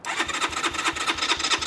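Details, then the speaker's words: Keeway RKR 125 single at 6,430 miles, push-button start: fuel pump runs and relays click, and the starter turns it over at about five even pulses a second but it never fires; owner first suspected the battery, and it later ran once the crusty spark plugs were replaced. "okay um yeah that doesn't want to start sounds like it wants start but this isn't looking good"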